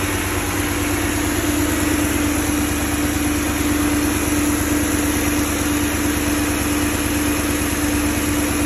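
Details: Fully warm BMW M62B35 V8 after VANOS units were reinstalled with corrected timing to cure a knock from earlier wrong fitting: smooth, even idle with a faint steady hum, no rattle or ticking from the engine front.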